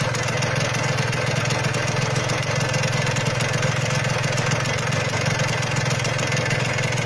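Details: Yamaha RXZ two-stroke stored long and run once a year, started with one kick after fresh engine oil, petrol and 2T oil: steady, slightly choppy even idle with crisp exhaust crackle, no misses; normal idle.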